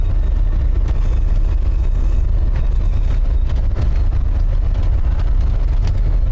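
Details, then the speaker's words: Large vehicle on a test drive after rear brake and hub work: steady low road rumble while cruising, with no whine or growl rising with speed. The noise heard before seems gone, but a vibration remains. "I'm pretty sure the noise is gone that I was hearing still have a vibration"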